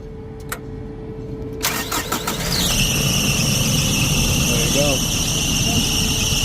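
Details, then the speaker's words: Isuzu, battery good at 12 V, starter gear stuck; after lightly tapping starter with hammer: starter catches, engine fires within a second and settles to steady idle; starter now engaging properly. "starter man there you go and that's how to get your starter unstuck when you're uh trying to get back in route"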